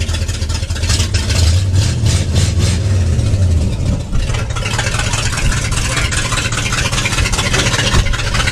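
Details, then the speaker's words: 1964 Impala four-door hardtop that sat about 40 years: a steady, even low rumble at idle, with the earlier noise and knocking gone. Running smoothly. "Oh, doesn't sound like it has that noise, so that probably was all the noise."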